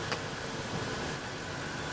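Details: Ford F150 4.6L with code P0402 and a previous low, rough idle: after the faulty part is found and fixed, a quiet, smooth, even idle with no stumble or hunting. The engine now idles properly.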